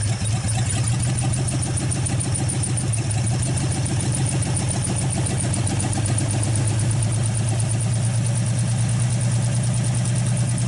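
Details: 1948 Nash engine after first start, carburetor rebuilt, water hose flushing cooling system, warming up; steady even low beat at fast idle, loud through open exhaust, no misses or knocks, healthy.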